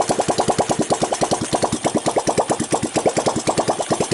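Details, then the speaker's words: 1985 Honda ATC 200X junkyard three-wheeler, revived cold start: even steady single-cylinder idle with no valve tick, timing chain rattle or bottom-end knock; healthy idle. "Sounds good, no valve noise, no timing chain noise, no pump bumps in the bottom."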